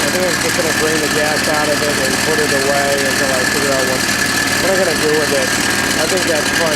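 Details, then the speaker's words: Small engine run after an oil change for very low oil, with a cheap-looking belt pulley: steady running with a squeaky, warbling chirp; unclear whether the noise is internal or from the pulleys. "ran it a little bit it was noisy I couldn't tell if it's inside the engine or in his crappy looking police"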